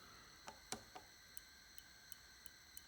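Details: KTM front brake switch with "FRONTBRAK SWITCH" error and brake light constantly on: sharp light clicks at irregular intervals as the lever is worked, switch clicking normally in a quiet room.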